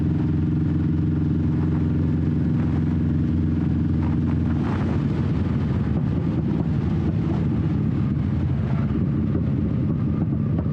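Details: 21-year-old Honda Shadow V-twin with new Vance & Hines exhaust, baffle repacked with new fiberglass, steady throttle: deep, even rumble, no rasp or misfire, more tame with deeper tone; normal exhaust note.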